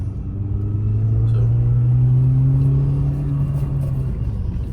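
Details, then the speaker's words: 2003 Mini Cooper S 6-speed driving after replacing both front CV axles. Steady road hum with a smooth rising engine drone pulling away and no clicking under load; a slight rattle is from items in the door pocket, so everything sounds good. "So everything sounds good. I hear a little rattle, but that's the stuff I have in the door pocket."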